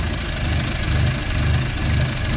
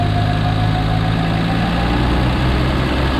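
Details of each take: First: 1951 Studebaker with makeshift exhaust using a Corolla muffler, exhaust leaks noted, first cold start after a week: slow, lumpy idle with deep burble and loping beat; idle speed possibly set too low, may need increasing. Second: 1951 Studebaker with new makeshift exhaust using a Corolla muffler: steady, even, smooth deep engine note shifting slightly when blipped, no knocks or misses; slight surging when idle speed turned all the way down; otherwise healthy.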